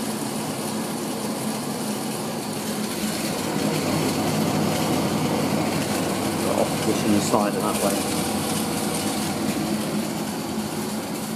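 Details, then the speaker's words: 1980s Tefal Spinmaster spin dryer (made in France by Calor, 2,200rpm max) spinning towels with the lid closed: a steady motor hum and an even whir from the drum, no knocking or scraping, and air blowing out. Normal spin. "you see i actually feel the wind coming out of here for a tiny spin dryer it holds a lot"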